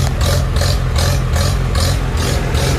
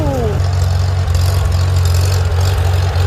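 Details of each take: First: Old tractor with a cheap eBay carburetor being adjusted: speed rises and falls about every half second, a rough hunting idle. Fuel supply issues are suspected. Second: Steady, even low rumble at idle from a carbureted engine after carburetor adjustment and clean non-ethanol fuel; it idles smoothly, though fuel-tank feed problems remain under load.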